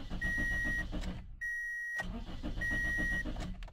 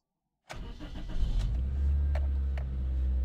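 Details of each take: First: Car turns over on the starter in steady bursts of about four a second but never catches or fires; a crank, no-start, cause not yet identified. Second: Car that cranked but wouldn't start, after replacing a blown main fuse for the injection computer (check engine light now shows): a short crank, fires almost at once, settles into a smooth steady idle; normal start.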